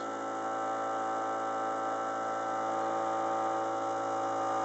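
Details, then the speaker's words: Aquarium VorTech MP10 pump with the motor unit misaligned to the propeller across the glass: a steady, tone-rich hum with a faint rapid rattle plus vibration; turning the adjustment back a little removes both. "another element is the placement of the motor relative to the propeller and if you listen carefully you'll hear a change in the sound and there's also going to be some vibration here too"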